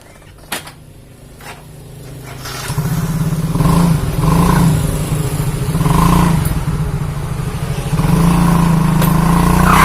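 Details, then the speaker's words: Old Yamaha Mio automatic scooter revved: thin squeal near 1 kHz with each rev rise, slipping in the CVT area; owner reports weak on hills and squealing under heavy load or with a passenger; CVT to be dismantled. "Nah mungkin teman-teman sudah dengar suaranya nah ngericit atau seperti selip kayak gitu ya di bagian area cpt-nya ini"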